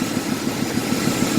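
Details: Ford F-150 idling with a steady lumpy pulse, about seven beats a second, and an uneven stumble from a misfire; owner suspects a slipped, hissing vacuum hose, a cracked hose or a PCV leak, or possibly a plugged catalytic converter.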